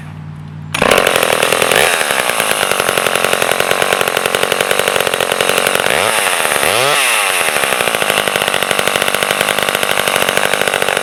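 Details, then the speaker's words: Vintage Sears Craftsman 2.1 chainsaw (Poulan 25DA): crisp two-stroke buzz starts at once, blips up and back down twice, then settles to a steady, even idle. Runs and idles healthy. "This one's a little bit older vintage model, but it runs and idles great."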